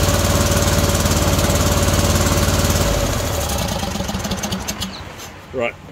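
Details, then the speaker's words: John Deere D130 mower V-twin, during ignition coil replacement: uneven chugging at about four beats a second for three seconds then dies; only the right side firing, the other side not going. "right so we already got the right side going [Applause] [Music] okay and that size not going"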